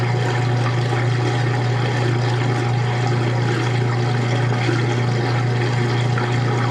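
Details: Washing machine transmission running during a wash, recorded in 2014 with the room echoing: a constant low hum with a little water slosh, steady, no knocks or grinding; normal operation.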